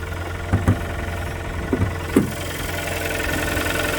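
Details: Kia Sportage 3 2.0 G4KD petrol at under 105,000 km, cold start at idle before overhaul: loose, irregular knocking over the engine hum; engine knock, leading to a full engine rebuild.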